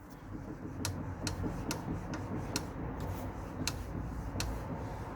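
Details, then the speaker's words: Lexmoto LXR 125 front wheel turned by hand, bearing checked and wheel solid; sharp light tick about twice a second over soft rub, louder the harder it is turned; brake caliper ticking. "The harder I pull that round, the louder the click is."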